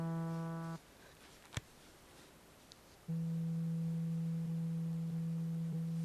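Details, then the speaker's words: Samsung Galaxy Z Fold2, closed: the vibration motor's buzz is amplified into a loud, hard-edged rattle between the two assembled folded halves, cutting out and returning. Far too noisy for silent mode. "Lorsque le smartphone vibre, les vibrations sont amplifiées. Le bruit est bizarre, écoutez!"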